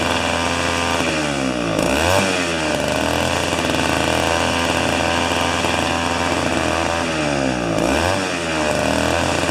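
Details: Old two-stroke snow thrower that sat for years, running 40:1 mix, restarted after sitting: loud steady two-stroke buzz holding speed evenly with only a couple of short dips; normal healthy running.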